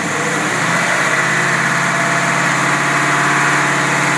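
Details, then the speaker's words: Rebuilt Rochester Quadrajet carburetor tested on a running carbureted V8, mixture set at 12 parts: steady, even engine note with no misses, knocks or surging, running clean and healthy. "here's your carburetor it's all rebuilt and it runs perfect and I'm going to start it up before I sneeze"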